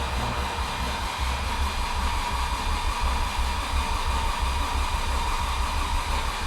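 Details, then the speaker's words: Audi 90 Quattro Sport rescued from a scrapyard, fuel gauge reading empty: even rhythmic churning as the starter cranks it at a steady rate; turns over freely and sounds healthy, but no start yet. "It sounds good turning over. Nice and healthy."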